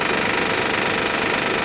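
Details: Honda Pilot cold start: dense, fast metallic rattle over a steady idle lasting about 10 minutes after first start of the day, then runs perfectly; cause unclear.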